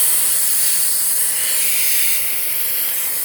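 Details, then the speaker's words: Filter Queen Majestic 360 vacuum, 5.1" 119649-00 motor dated 06/30/2004, suction test: loud steady high hiss over motor rush, dipping slightly; air leaking around the canister latch, suction noticeably reduced. "but this that still won't prevent it from leaking around the uh latch but yeah we're still leaking i can hear it well suction's definitely gone down"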